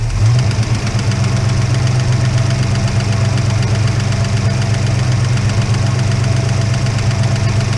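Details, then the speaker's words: Holden HK engine at idle with no oil yet reaching the top end: quick regular tick about four per second from one noisy non-adjustable hydraulic lifter; noise stops when its pushrod is held up. "so I hold that bush Rod up the noise goes away I put down on the list and the noise goes away so how do you get rid of the [ __ ] lifter noise"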